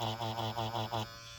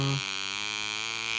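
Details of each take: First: Ambition Ninja Pro tattoo machine running with another cartridge. An even, low electric buzz with a gentle rhythmic swell and no rattle, then a clean cutoff; normal. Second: Ambition Ninja Pro tattoo machine, set to about 5, which started crackling after two days of use; the replacement motor section did the same. A steady high buzz that briefly cuts out, with a rough crackly edge; the motor is poorly fixed and loose.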